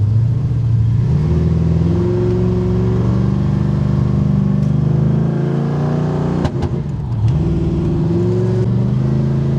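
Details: Oldsmobile Cutlass with small-block Chevy V8, about 10:1 compression, Summit hydraulic cam, on test drive: revs cleanly then stumbles sharply and dips before recovering; broken valve spring later found.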